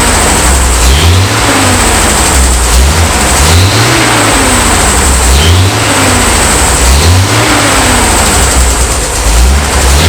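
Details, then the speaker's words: 50-year-old petrol engine in a 1975 Bedford truck after the choke was sorted: clean, even revs rising and falling about every 3.5 seconds, running smoothly and healthy. "now that's much better it sounds so smooth it it is it's really nice"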